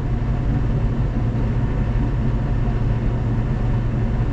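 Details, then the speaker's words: Van parked since 2018 with used 350 Chevy small-block: deep steady rumbling growl with coarse low throb from rear end, slight vibration; cause unknown, owner considers the carrier bearing. "but it sounds like the world's coming apart in here"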